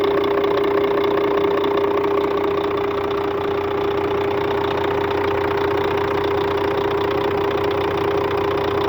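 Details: Scania K400 bus, DC13 13-litre 400 hp (at 1900 rpm) diesel at normal operating temperature, customer-reported strange noise: steady idle with a distinct high-pitched whine over a faint regular knock; abnormal engine noise, cause not identified.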